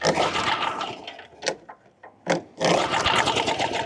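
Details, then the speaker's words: Push mower that hadn't run in years, given starter fluid with no gas in the tank: the engine catches in short, ragged bursts and smokes badly, then cuts out and won't keep running. Firing only on starter fluid. "Oh, we have fire. Oh, she's smoking bad. Probably bad gas. Same situation over here. Sounds like Oh, there is no gas in it like at all."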